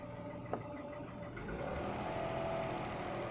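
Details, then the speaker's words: Engine with a cold-start knock (rattles like a con-rod bearing) that appeared after brief oil starvation, persisting over 3,500 km; pulls up smoothly as the throttle is blipped, no knocking heard under revs; knock absent when revving. "звуков нет вот сейчас, когда газуешь."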